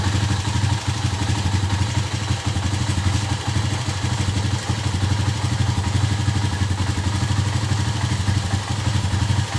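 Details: Small single-cylinder motorcycle idling steadily after a hard-starting fix, about three beats a second with light valve clatter; starts and runs fine.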